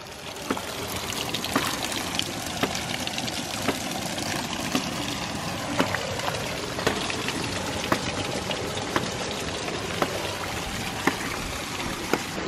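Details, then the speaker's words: 1-inch ram pump restarted after winter dormancy, half-inch output delivery pipe: crisp solid snaps about once a second at the valve and drive pipe over running water; pump cycling properly. "when the pump is operating correctly you can hear a nice solid snap at the valve but also when you take a step back you can hear a very solid snap in the drive pipe"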